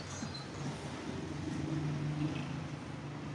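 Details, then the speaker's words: Spin dryer motor wet, stopped suddenly per customer; steady low electrical hum but drum does not spin, not braked, water-soaked motor. "Umuugong lang siya. No? Meron akong nararamdaman na ugong. Pero hindi siya umiikot. Okay? Tingnan natin siya mga puting. Hindi naman siya nakapreno. Pero basa siya."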